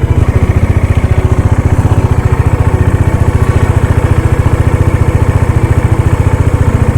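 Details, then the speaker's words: Dominar motorcycle, cold start after sitting unused for 4-5 days, fitted with a KTM gear lever assembly: a steady, even, slightly lumpy but regular single-cylinder-style thump at idle, no knocks or rattles. No need to rev it; the idle settles once warm. Normal cold idle. "വേണം 4-5 ദിവസമായി വണ്ടി എടുത്തിട്ട് rice ചെയ്യേണ്ട ആവശ്യമില്ല. വണ്ടി normally വാമാകുമ്പോൾ correct വോളിയത്തിലോട്ട് വന്നോളൂ."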